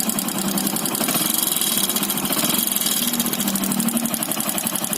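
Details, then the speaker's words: Motorcycle engine at idle: a quick, even knock rides over the engine beat with each turn; the piston has gone loose in the block (worn bore), causing piston slap. "जो नॉइज आ रहा है, आवाज़ आ रहा है, पिस्टन का आवाज़ आ रहा है। अब पिस्टन ब्लॉक में ढीली हो गई है, इसलिए वो आवाज़ कर रही है।"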